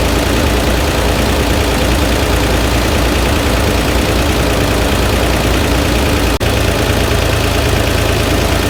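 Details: Flood-damaged Corvair engine at idle, microphone placed at the loudest spot: steady idle with a dull, fairly irregular knock about once a second under the drone; cause undiagnosed, engine must come out and likely be torn down.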